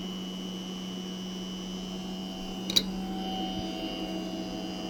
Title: Strange noise from STP X 20. Astana, Kazakhstan, 02.06.2026